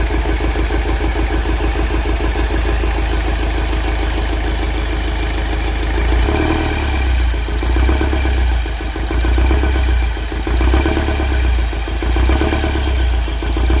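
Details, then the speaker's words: Mahindra Scorpio mHawk diesel in first gear, brake held, clutch slowly released to load the engine: sharp evenly spaced tak-tak knocks over the idle; number 2 cylinder identified by unplugging its injector, injector flow fault suspected. "Clutch को जैसे ही हम धीरे-धीरे छोड़ रहे हैं तो engine पर load पड़ र है उस कंडीशन में हमारी इंजन में से कट कट कट कट इस टाइप का साउंड आ र है"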